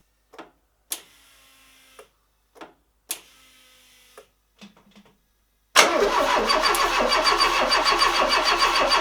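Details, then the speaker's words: MK1 Renault Trafic with swapped 2165cc 2.2 engine, first crank after install, ignition clicked to prime pump: several clicks then steady rhythmic cranking near 200 per minute that never catches; no fuel rail pressure, crank no start. "right two days later and i think i might have worked out what i've done wrong we're not getting any pressure in the fuel rail"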